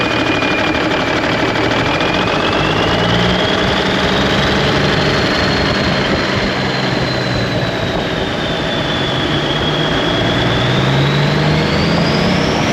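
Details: 1991 Freightliner, Cummins NTC-365 with bad throttle lag, fed from a fuel bucket bypassing the ECM cooler plate: heavy uneven lumpy beat with wavering whistle, running rough and sounding worse; cause unconfirmed.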